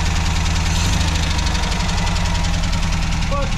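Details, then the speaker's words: Tired BMC C-series engine in an MGB GT project car, loud busy idle with a rough low-pitched chuff; engine described as pretty dead, starts readily, choke won't stay on; exhaust leak noted, owner plans MX5 engine swap. "Starts pretty fucking handy. Sounds like a sewing machine. C-series. Exhaust leak here."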